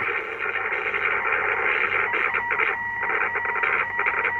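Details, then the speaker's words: Belcom LS-102L 10m radio into a dummy load on 28.490 MHz sideband, mid-repair: hissy receiver audio with a steady tone, irregular crackles and dropouts. The VCO is extremely microphonic and on the edge; a missing earth is suspected. "but as you can hear that crackling noise that's not a good thing"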